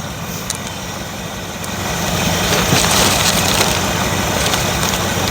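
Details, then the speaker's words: 1957 Chevrolet Bel Air V8 after starter installation: cranks nice and smooth, then settles into steady idle under nearby clatter and handling noise, no misfire or knock; runs fine. "sounds good cranking there yeah cranks nice smooth well it continue to work like that or is it gonna I think it will at least it runs all right she's a runner"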